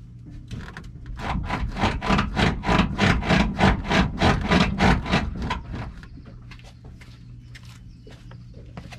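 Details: Friend's Toyota Tacoma with OME BP-51 suspension, bolts (19 mm) loosened and truck bounced to free bushings: rhythmic creaking crackle about three per second fading as it settles; suspected binding suspension bushings, no change after loosening.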